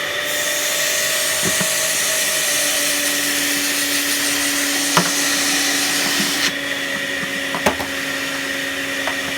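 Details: Panasonic MC-UG304 2000 W upright vacuum cleaner, completely clogged: a constant high, strained motor whine with choked, thin airflow and little change in tone, the airway blocked; a washing machine runs in the background.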